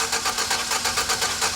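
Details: 4.3L GMC V6 pickup that stalled after a banging noise: starter cranks in a quick, even rhythm but never catches; timing mark correct, fuel pressure 50 psi.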